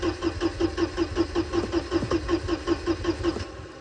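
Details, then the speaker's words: Mercedes-Benz 190E, first start attempt in about 10 years, started via hot-wired cables: even cranking at about two and a half turns per second, steady whir, no firing; no fuel pump heard, cranks but won't start. "So yeah, but I don't hear any fuel pumps, and I don't know what all of these does"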